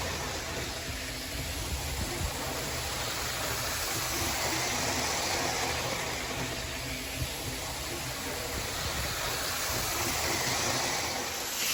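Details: Hornby R693 High Speed Train set from around 1990, HST running laps of the table: steady even whirr with rail rumble, no catching or surging; the little motor and bearings sound healthy, normal running.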